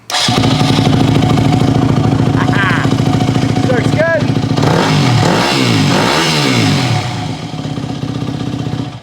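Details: Single-cylinder dirt bike (Suzuki DRZ400 or Yamaha WR450F) that died when the choke was shut off, after the overtightened fuel screw was opened to 2–2.5 turns: steady thump idle, picks up cleanly on blips without stumbling; now runs properly.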